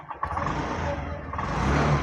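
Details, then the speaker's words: Honda BS6 motorcycle: restarts and runs, but sound swells only slightly and unevenly under throttle; won't pick up, repeatedly bogging and shutting off. "Start ஆகுது, pickup ஆகலை. மறுபடியும் start பண்ணுறேன்."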